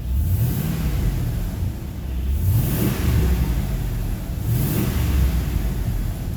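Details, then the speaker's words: 2002 Chevrolet Silverado 1500 HD V8 revving with AC compressor switched off: clean, even note with no rattle, confirming the noise on acceleration comes from the AC compressor. "now if I turn off the air conditioner compressor the switch and rev it you won't hear that anymore"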